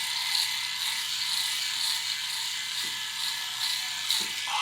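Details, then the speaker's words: Philips Norelco 3000 Series electric shaver, about 3 years old, after replacing the shaving heads: steady high buzz with fine crackling as the new blades cut hair cleanly and closer; old blades were faulty; normal cutting. "that's satisfying I can hear the difference like it's actually I can hear it cutting the hairs on my head so that means that it's getting closer too"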